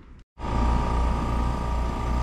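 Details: A/C outdoor unit running in cool mode after fixing missing 24 V common from cracked solder joints at terminal block: steady even hum with constant mid tone and low rumble, no rattles or cycling; running normally.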